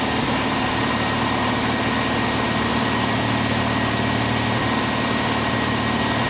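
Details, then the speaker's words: 1990 Jeep Wrangler with carburetor, which previously had serious vacuum leaks, idling in neutral: uneven, stumbling beat around two per second, sounding like a miss with heavy shaking, then it stalls; engine misfire, cause not confirmed. "sounds like he's missing shaking like the dickens and quit me"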